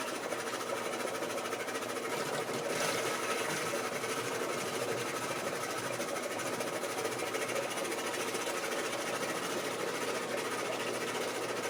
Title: Maytag Performa washing machine noise 1 of 2